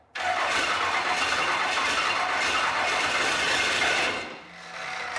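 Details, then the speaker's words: 1971 Ford Torino Wagon with swapped Cummins 12-valve diesel after engine and transmission hop-up: catches at once, runs hard with sharp busy clatter about four seconds, then settles; spat oil but sounds healthy, very responsive, rowdy. "It's very responsive. Did you see that? Sounds sick. that is rowdy."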